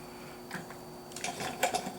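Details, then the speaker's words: 1954 MG TF before engine start; a few soft quick ticks then stop, the electric fuel pump priming normally. "I'll turn the fuel pump on you may not hear that but it's doing its little click and stopped"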